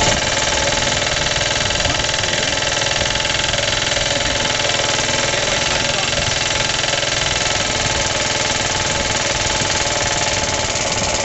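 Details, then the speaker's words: Suffolk small engine after rebuild, first cold start on rope with a missing starter bolt and idle turned up, runs steadily with a fast rattly knock about three beats a second, never there before; clutch or shrouding suspected. "oh I can't remember it making that noise it runs rest assur it never used to make that knocky noise so I don't know what the hell's going on it's definitely fully tight never used to make that noise"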